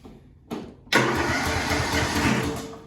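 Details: Lawn tractor that would not start, now cranked with a jumper pack: a brief crank, then it catches within a second and settles into a steady idle.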